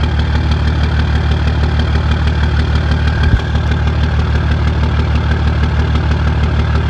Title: 2004 dodge Cummins rough idle